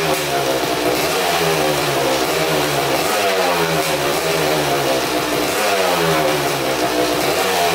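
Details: 2000 Suzuki RM250 two-stroke (249cc), unrun two years, fresh premix fuel, cleaned carb, good compression: very loud raw crackling exhaust with a ragged blat as it revs; big split in the expansion chamber, basically straight-piped, needs welding.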